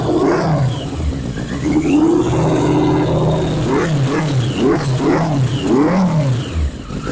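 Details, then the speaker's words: 1981 Yamaha Maxim XJ650 four-cylinder, first start after 20 years unused, old oil, carbs dusty but sound, choke possibly inoperative: catches and pulls cleanly on hand-throttle blips, revs rising and falling smoothly without misfires; running fine. "but success we got it running didn't have to do hardly any wiring at all"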